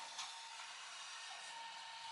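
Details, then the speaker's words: Commercial ice machine in a restaurant, checked during a True prep table repair visit; ice supply running short: thin steady high whine over hissing fan rush throughout; whine should not be there. "he's not doing well he's whining I don't know if you can hear it now"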